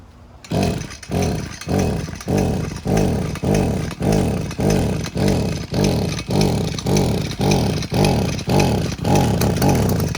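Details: Two-stroke string trimmer flooded with fuel, possibly over-choked while warm. Repeated pull-starts, each a wet sputtering cough that never catches. Fix: choke off, throttle held fully down, keep pulling (up to about 30 times) until it fires.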